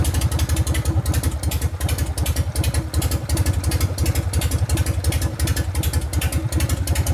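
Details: 1999 80ci Evo rigid bike, after reassembly and repairs, started for a road test: steady loping idle about three beats a second, previous clanking and clatter now gone; normal idle.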